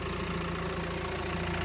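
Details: 2016 Mercedes A-Class after clutch, flywheel and clutch master cylinder replacement, idling with the clutch pressed: smooth even idle, steady low hum, no rattle or knock from the flywheel area, where noise had been heard before the repair.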